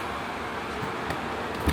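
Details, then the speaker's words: Velit 2000R Mini 12V DC rooftop AC (7500 BTU) on a 1976 Chinook camper, 2023 Nissan Frontier, powered by a Comvolt 4200: steady, even fan-and-compressor hum, no knocks or rattles, after about 30 minutes of running. Normal operation. "And right now, we're actively running the AC. We've been running it for about 30 minutes so far."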